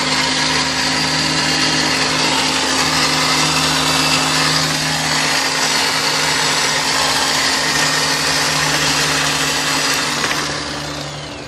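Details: 1999 Kia Sportage engine running with loud steady high-pitched whirring rasp over low hum; exhaust manifold and a seal recently replaced, catalytic converter due; owner suspects the starter but is unsure, source unclear.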